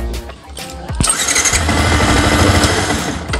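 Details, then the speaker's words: Yamaha R15 (no kick starter) that would not electric-start: with the starter button bypassed at the black socket, brief crank then engine catches and runs steadily, showing the starter button is faulty. "ini menandakan bahwa tombolnya yang bermasalah tombol starternya ya"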